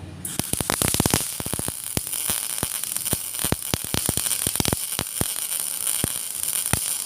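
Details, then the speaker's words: MIG/GMAW welding arc crackling with irregular knocks and pops and heavy spatter because the wire feed speed is set too high. "Yang sebelah ini wire terlalu cepat. Ya, kalau ini wire terlalu rendah atau kurang, minta ditambahi wirenya. Oke, kita dengarkan kembali ketika wire itu setelannya terlalu cepat atau terlalu banyak."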